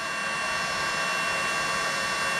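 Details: Battery-powered heat gun on a fresh battery melting solder on wire splices: even, strong rushing hiss with steady high fan tone, no sputter or pitch drop; running normally at full output.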